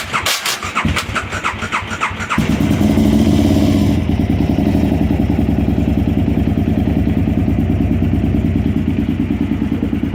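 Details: KTM 950 Supermoto, June 2022, on start-up: starter cranks in rapid bursts, then the twin catches and idles with an uneven, lumpy beat; abnormal noise on engine start, cause unclear.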